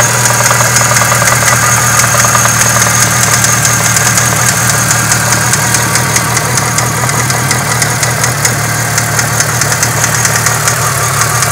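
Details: Renault F4R engine at idle: steady metallic knock about two to three per second over busy top-end ticking; owner hears a valve and something like a connecting rod bearing, source unconfirmed.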